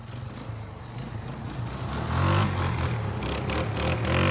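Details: Kawasaki Bayou 220 barn-find ATV on test drive after carburetor cleaning, new battery, oil and air filters, straightened racks, rear right wheel bearing, seal and drum brakes: single-cylinder pulls up smoothly, holds even steady beat, no knocks or rattles; running really good.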